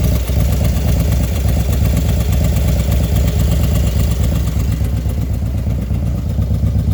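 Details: Small motorcycle engine after a 110 kit was installed: at idle, a light, quick ticking over the steady low thump. It happens only when the engine is hot. Engine ticking when hot.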